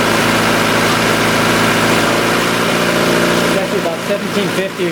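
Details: 1990 Honda CRX DX even idle hum around 1750 rpm (floor about 1500) that never settles; suspected vacuum leak, hiss traced near the brake booster, causing the fast idle and bad gas mileage.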